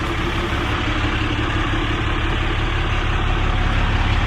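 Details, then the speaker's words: 2008 Ram 5500 with a replacement 6.7 Cummins diesel, fitted after the old engine developed a rod knock, all six injectors swapped, DPF and muffler: low, even idle with a smooth, steady chug, very quiet, with no knocks or ticks. Normal diesel idle. "you guys can see under here it's super quiet got the dpf and the uh muffler under here"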